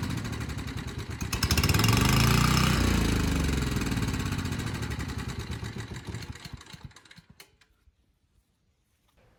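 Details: Abandoned Powermate generator on its carburetor, started first pull: single-cylinder engine catches, runs steady and even for several seconds, then winds down; smoke cleared immediately, about 62 Hz, voltage too high; normal running.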